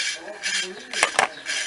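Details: Ceiling fan coasting down after being switched off gives a dry, rasping scrape about twice a second; the noise occurred at low, medium and high speeds and was traced to a broken ball bearing.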